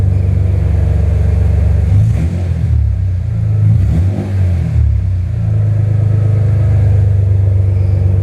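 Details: BMW M3 S54 engine swap at first start, just running: deep, throaty engine revs freely and cleanly through several blips, then settles to a steady idle without stumbling; normal revving.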